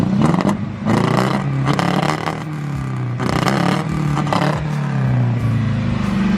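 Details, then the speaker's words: 1986 Mercedes 190E Cosworth after full ignition system replacement, exhaust recorded from the back: revved engine stumbles and fails to climb cleanly, bogging under throttle; air-fuel issues still suspected. "Bogging, yeah. I say you could definitely hear it bogging big time from the back."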